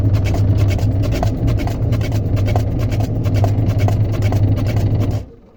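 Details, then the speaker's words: Kiriazi semi-automatic washing machine gearbox, after servicing for a no-spin, loud-noise fault: steady low motor hum with light even ticking, no grinding, then shuts off; runs quietly with no noise. "طبعا كده مفيش صوت خالص."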